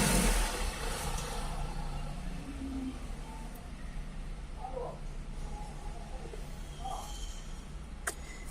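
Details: 2014 VW Polo 1.4 petrol engine idling with a low, slightly uneven rumble, the stumbling beat of a misfire.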